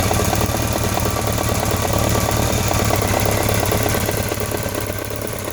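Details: BMW K1200RS idling with a light, steady tick about four per second over the engine hum; owner unsure whether throttle body, cam chain or valves, leaning toward throttle body; not confirmed.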